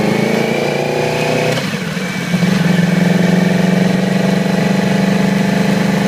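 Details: 2008 Yamaha R6 inline-four: uneven stumbling idle lifting into rough unsteady revs, appeared overnight, weak at low rpm, sluggish at high rpm/freeway speeds. Dead cylinder from faulty ignition coil; replacement restored it immediately.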